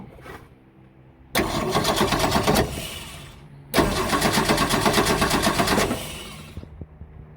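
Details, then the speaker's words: 1966 Ford Mustang six-cylinder, sat outside 22 years, carburetor visibly leaking, fuel age and quantity unknown, cranked by jumping the starter solenoid: two bursts of fast, uneven churning at about three beats a second stop abruptly. Cranks but won't fire. "All right, I'm going to jump to the start pole on this solenoid and just see if she'll fire up."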